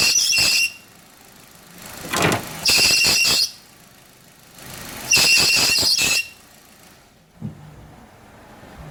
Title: power steering stop noise when turning